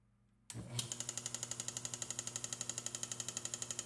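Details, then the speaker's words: 1934 electric motor driving a homemade die filer by belt on first powered test: fast even ticking about four a second over the running hum, louder than it should be; not reproducible by hand. "it's running well but it is it is making a ticking noise you hear that let's investigate that a little bit because it should be running quieter than that"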